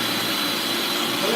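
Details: Bissell Lift-Off shampooer with diverter set to floor mode: steady high-pitched suction roar with even airflow, no surging; normal suction at the bottom, and none at the upper tool, as designed.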